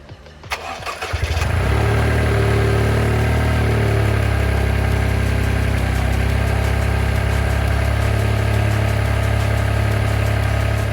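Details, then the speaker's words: Toyota GR Yaris, stock airbox and filter before the ITG panel filter is fitted, cold start: the starter cranks briefly, then the engine catches and settles into a smooth, even high cold idle with a steady low rumble. Normal cold start and idle. "So I'm going to get some before clips, start it up, let it warm up, and then give it some revs and see if we see any difference with the panel filter."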